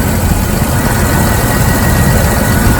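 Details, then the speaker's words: 1998 Jeep Wrangler TJ with a squeak traced to the distributor, after a temporary fix of oiling the distributor shaft. Even, smooth idle hum with the squeak gone. Normal idle. "has completely disappeared and this engine is running smooth a little dirty but hopefully this helped"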